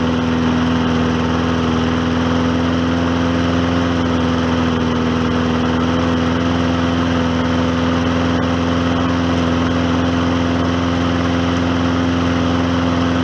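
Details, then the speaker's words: Hyper Tough lawnmower after maintenance and repair, with diesel oil added: choked a little at first, then leveled out to a smooth, steady note with no misses or surging; successful repair. "notice how it got leveled out and uh I'm gonna call that a successful repair"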